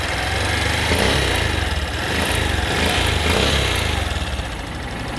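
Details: Honda XRE 190 revved hard: small single with uneven pulsing beat and brief sharp high ticks coming and going, intermittent, only at high revs; cause unidentified.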